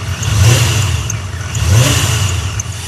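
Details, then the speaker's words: Engine revving after the power steering fluid was topped off and bled: sharp, high chirps about every 1.5 seconds. The belt has a lot of play; a bearing or the idler pulley is suspected. "Sounds like an angry bird now. So, a little bird in here that is chirping. I think it's either a bearing or idler pulley."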